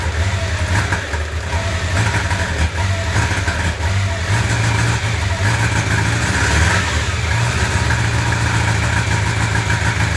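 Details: 1995 Honda CB750 Nighthawk four-cylinder revving with a lumpy, uneven exhaust beat, running on three cylinders: cylinder #4 misfires because its carburetor jet is clogged.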